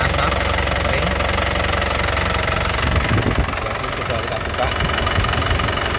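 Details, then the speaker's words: 2019 LS turbo diesel, low mileage, turbo area dry with no oil seepage: starts first time, even crisp diesel clatter at idle with stable vibration and a quick throttle blip, no misfire or limping beat; engine sounds healthy. "Ini dari segi suara, suaranya juga renyah, khas penter getarannya juga stabil ya, tidak kencang, tidak goyang. Artinya ee mesinnya benar-benar sehat ya."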